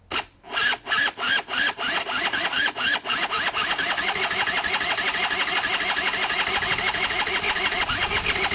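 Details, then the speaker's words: Honda Nifty 50 parts scooter, starter wired through a broken fuse to the battery: steady starter whirr with even compression pulses, about three a second then quicker; turns over freely but never fires; cranking but not starting. "heck man this thing's like actually turning over pretty nicely so i would genuinely like to see if it's gonna do anything else it's so close"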